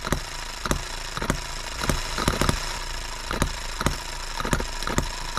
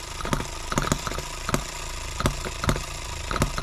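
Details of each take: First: Repaired H73 small engine on an endurance run in a 100 °F shop: holds a steady, even drone with no hunting, surging or misfire, improving with each run; normal steady running. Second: Small H73 engine after recent repairs, on a durability test run in 100°F heat, about 40–46 minutes in: runs unevenly with irregular pops and stumbles, possibly running out of fuel; cause not confirmed.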